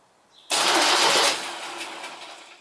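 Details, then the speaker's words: 1972 MGB GT flood-damaged restoration, first battery connection after rewiring: harsh whirring burst that fades as the starter cranks by itself, because starter and starter relay were put on the same connection; engine turns over as it should. "Basically I put the starter and starter relay on the same connection. So when I plugged the battery in, it went So let's see what happened."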